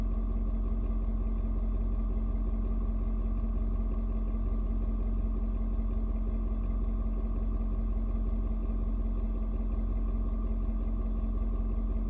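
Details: Ford Super Duty 6.7 diesel, cold start at 56°F: deep, steady diesel clatter whose tone shifts as the engine reads outside temperature and sets fuel mix, then mellows to an even idle, no misses or knocks; normal cold idle.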